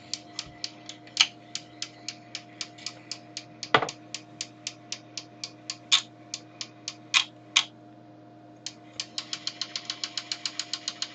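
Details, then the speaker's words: Fisher-Price Music Box Record Player mechanism after oiling with light sewing-machine oil: quick sharp ticks about four a second, speeding up, over a faint hum; ticking traced to a very small white plastic gear wheel. "I'd still like to find where the ticking is coming from and uh get rid of that so have found the cause of the ticking"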